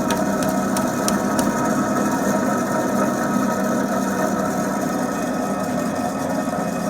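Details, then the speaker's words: Rear wheel hub of a Lada VAZ-2107 (rear-wheel drive) spinning with steady low hum and rough gritty undertone; the hub's tapered bearings have dried out or had grease washed out by water, heard as hum in the cabin. "вот такой звук происходит когда у нас высыхает или вымывает водой и смазку из подшипника"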